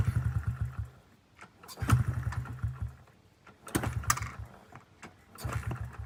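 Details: 2009 Honda CRF50F pit bike, not started in 2 years, being kickstarted. Repeated kicks give brief sputtering chugs that die out. Owner says the choke was left on too long, causing about 6.5 minutes of kicking. Hard starting.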